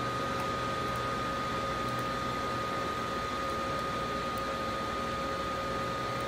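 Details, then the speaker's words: Dell Inspiron 530 desktop at the Windows desktop after setup: a loud, steady airy rush with two fixed whining tones as a fan runs fast. It is not overheating, and the cause is unknown. "as you can hear something is running fast I'm not really sure what the deal is it's not like it's overheating or anything"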